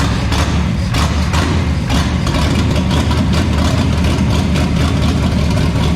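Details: 1973 Toyota Land Cruiser FJ40 after sitting many years, first start with timing set, fuel tank cleaned, fresh fuel and oil, new headers: low, steady idle with quick throttle blips that catch cleanly and settle evenly; sounds healthy.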